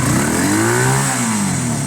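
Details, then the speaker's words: Honda CB250 bobber after cleaning spark plugs and resetting gaps, freshly completed carb: engine picks up cleanly, sweeping up and down through the revs with no misses or popping; much better, though owner notes a slight flat spot at half throttle. "Much better, much better. That is rideable, guys. If I had a battery for that now, that would be rideable."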